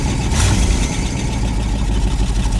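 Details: 1973 Ford F100 Ranger XLT, grandfather's truck, recorded with the mic down by the exhaust; deep, steady rumble with an even lope as the old engine idles on its own with no knocks or misses.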